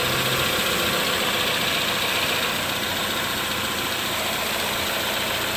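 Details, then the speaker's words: 2011-2015 Chevy Cruze 1.8L after timing cover, gasket and water pump replacement for oil in coolant, burning off spilled oil: smooth steady idle, only light even valvetrain tick, no knocks, misses or surging; normal. "That sounds good."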